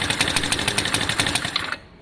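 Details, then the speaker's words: Lexmoto FMX 125cc after fitting a new stator: it starts first kick, then a short burst of uneven, popping firing drops away; it sounds a bit better but still has poor throttle response, and the exhaust may still be blowing. "It's still not happy on the throttle there. It sounded a bit better, but definitely still not happy on the throttle there. It kind of looked like it was normal, but it wasn't. It didn't have the right throttle response."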